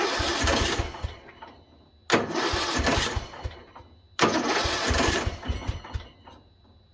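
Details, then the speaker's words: 2005 Poulan Pro 17.5 hp Briggs & Stratton riding mower, cold garage, on choke: cranking bursts with a few catches that die, won't keep running; owner suspects flooding from fuel run-in, then adjusts coil air gap. "hey it tried I think we flooded it whenever it was letting the fuel run in"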